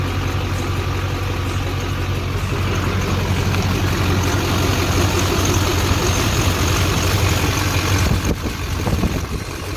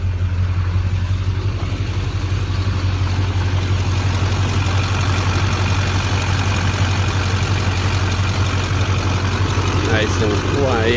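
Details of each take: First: 2001 LB7 Duramax diesel, about 185,000 miles, idling: faint thin high-pitched squeal over the clatter from the serpentine belt drive, squeaking for years; worn idler pulleys/belt tensioner being replaced. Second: 2001 LB7 Duramax diesel after replacing the belt tensioner and idler pulleys and refitting the serpentine belt: deep steady idle with an even beat and no chirp or squeal. The squeak is gone; normal idle.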